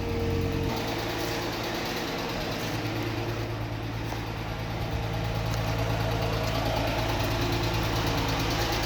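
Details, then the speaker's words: 2006 Chrysler 300 3.5 V6 idling after spark plug change, no check engine light: faint uneven lope with occasional dropped beats; a mild skip/misfire, owner plans new ignition coils, cause unconfirmed. "Don't know if you can hear that skip, but we're going to try and get this skip out"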